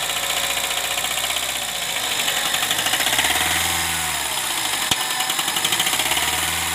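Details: Honda Civic Hybrid (Reborn) with P1024 valve pause system stuck on and P0300 random misfire: busy, fast, clattery rocker arm ticking that is loud at idle and grows louder on acceleration.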